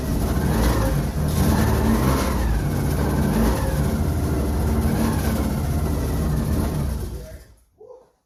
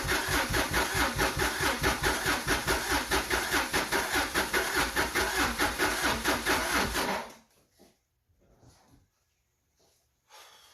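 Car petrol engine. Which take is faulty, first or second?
second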